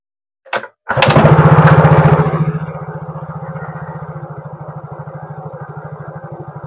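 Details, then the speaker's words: Yamaha Mio GT scooter with a faulty ESC sensor, after fitting an adjustable part and setting the idle: cranks, catches with a brief rev, settles to steady even putter near 220 beats a minute; stable idle. "Stabil stasionernya, jadi kita bisa perkirakan handle-nya seberapa, feeling aja."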